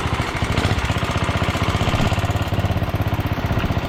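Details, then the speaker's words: 1967 Sears Suburban 10 single-cylinder engine the day after a vacuum leak was found during restoration reassembly; it now runs better, with a steady, even thump and no stumbles or misses, a normal idle. "so it runs pretty good happy with it the way it's running now"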